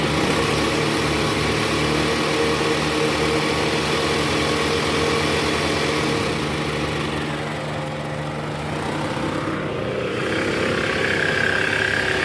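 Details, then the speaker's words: Toyota Alphard ANH10 (Gen 1) 2.4 L 2AZ-FE, after the weak fan belt tensioner was replaced: in R with AC on at about 1100 rpm, a steady even hum with no groaning or squeal, the noise is gone; a separate knock near the oil pan suggests a worn balancer shaft. "Nah ini sesuai posisi awal tadi, masuk posisi R, AC on, digas sekitar RPM 1100 udah nggak ada bunyinya guys."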